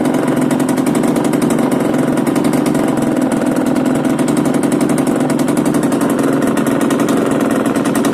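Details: Yamaha DTR125 two-stroke, first start after a new unrestricted Gilera SC CDI, new seals, a Big One exhaust, 240 main jet and power valve fully open: a fast, steady crackling exhaust beat with even rasp and no misses, a healthy idle.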